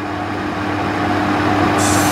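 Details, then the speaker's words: Trotec TTK 75 E dehumidifier, thought not to start its compressor, after being moved and left for a few days: steady low hum with a faint even tone under the fan's rush; the compressor now runs smoothly. "But now, after I carried it around with my car and let it sit for a few days, I can actually kind of hear the compressor itself."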